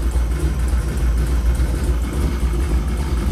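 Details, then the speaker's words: Donzi 16-foot boat, 551hp Skip White stroker, first start-up, fuel pressure only about 5 psi, oil pressure reading wrong: steady low rumbling idle, even beat, faint rocker and pushrod ticking; sounds healthy. "nice and quiet you can hear the Rockers and the push rods all that going"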